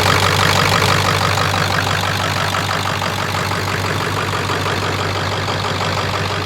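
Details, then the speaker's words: Ford Excursion with 7.3 Powerstroke diesel, ~500 hp build (Full Force hybrid injectors, dual fuel pumps, KC turbo, S&B intake), freshly reassembled, on Jelly Built tune: deep, smooth, even idle clatter with steady beat, no misses or knocks, "purring like a kitten"; normal idle. "Purring like a kitten. Well, Sounds good."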